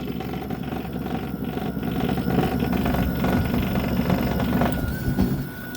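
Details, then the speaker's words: Toro 60V PowerMax E24 two-stage electric snowblower, new: uneven clinking, clonking clatter over the motor hum on high, normal on low and quieter in eco mode; owner suspects the impeller, maybe snow frozen inside after outdoor shed storage. "okay paul listen to this when it's on high it makes that noise"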